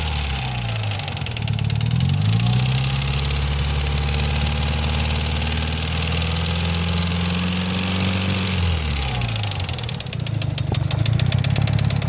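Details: Mitsubishi Lancer Evo IX, owner suspects lifter tick: engine idles, revs and settles with a sudden loud, fast light ticking about three per second over it; top-end tick, cause unconfirmed.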